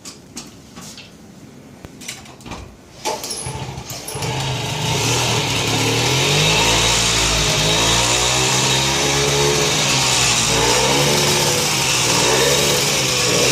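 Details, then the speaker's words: Hobbit two-stroke moped with a rebuilt motor, performance crank and stock carb, cold start after a few weeks unused: a few handling clicks, then it catches and climbs to a steady, even buzz without sputtering; healthy. "good man look at that that's what I like about you will you got these smooth running Hondas"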